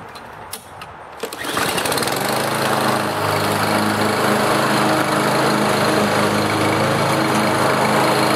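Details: Lawnmower after carburetor replacement (part #594057): after a few starting pulls it settles into an even, steady buzz with no surging; before, it ran rough and surged. Normal running.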